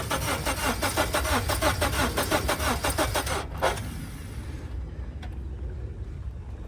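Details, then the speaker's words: 2015 Honda Civic with a jump box attached: the starter cranks evenly at about four or five turns a second and never catches, cranking but not starting; possibly out of gas, unconfirmed. "Won't start. All right, trying to start, maybe out of gas. It sounded like it was trying to grab a hold, but just not firing."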